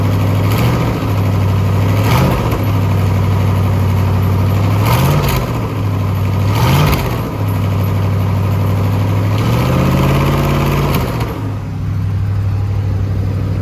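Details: Twin-turbo SBC 350 V8 rat rod, freshly built, first start, oil pressure held: loud idle with short blips, irregular knock rising with revs; internal knock, owner suspects a valve hitting or a welded header piece dropped in.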